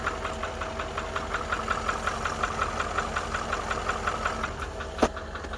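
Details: 2013 Range Rover Vogue L405 at idle, light regular tapping about four per second keeping time with the engine, from the upper right side; engine knock.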